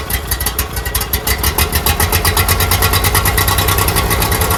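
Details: Toro Z-Master with Briggs V-twin carburetor engine, converted from Kohler EFI wiring harness, first start attempt at half throttle: steady rhythmic cranking with even chugging for five seconds, not catching while fuel primes to the carburetor.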